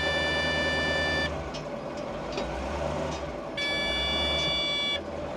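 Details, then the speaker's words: CAT 613C scraper diesel just started after a new fuel pump and filters, idling and only revving to 1,000 rpm. Oil pressure is up. Steady high-pitched beeping stops and restarts: low air pressure warning until the air builds, then it stops. "Uh-oh. Why is it beeping? We got oil pressure."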